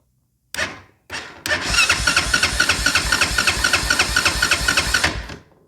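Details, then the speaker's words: Honda Foreman ATV, no-start repair: after power and ground were confirmed at the solenoid and a new solenoid was installed, the engine cranks strongly and evenly with no clicking or grinding but does not fire. "we tested we had power and ground on the bike side on the four-wheeler side of the C you know solenoid we got a new solenoid got it installed now it cranks"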